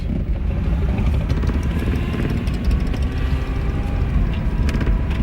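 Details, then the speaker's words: Thin steady whine over heavy road and tyre rumble while cruising in a 1989 Buick Reatta. Transmission suspected, not confirmed; transmission fluid looks a little low and a top-off is planned. "listen to that whine. Yeah. What is that? That's transmission, I think."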